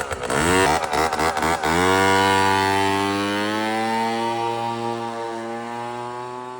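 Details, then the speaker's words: MBK Ovetto 50cc two-stroke scooter under refurbishment, reassembled, adjusted and warmed up, still missing its cartridge. Throttle blips fall to a steady, even idle with no misfire. It runs normally. "Ouais, il a l'air de marcher en vrai."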